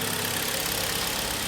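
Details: 2013 Kia Sportage G4KD 2.0, 101,000 km, after engine rebuild for severe piston knock that began on a sub-zero winter start, heard from outside: smooth, even idle with steady hiss, no knocks or misses; normal idle.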